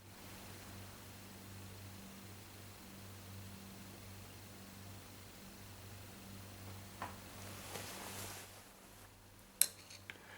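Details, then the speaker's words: Fridge freezer compressor switched off and immediately on again: it hums low without starting for about nine seconds, then the overload sensor clicks sharply and cuts it out. "Now I'm going to try and cause an overload here by turning it off and on immediately. This is not something I recommend at home. Now you can hear a humming."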